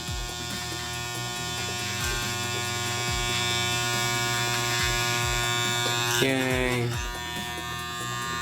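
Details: Wahl 5 Star vibrating clipper after tension adjustment. Steady, even electric buzz with constant pitch and no loose rattle. Normal running, properly adjusted.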